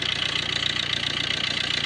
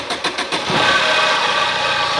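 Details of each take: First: A petrol engine in a Tata Manza Vista idles smoothly and evenly with the drive belt removed, no whine, growl or knock: normal idle, the earlier noise coming from failed alternator bearings. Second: Tata Manza Vista, same engine as Swift and Ertiga, started from cranking: starter cranks a few times, then the engine catches with a faint high whine over an uneven idle.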